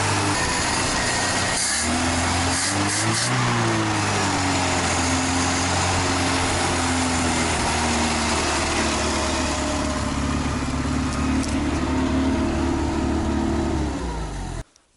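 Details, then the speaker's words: Old IZh motorcycle engine running: uneven, slightly lumpy beat with wandering pitch, rough unsteady idle; owner blames old spark plugs and wires needing replacement, and notes a strange whine like a ringing chain. "дергается, потому что свечи старые и провода надо будет поменять."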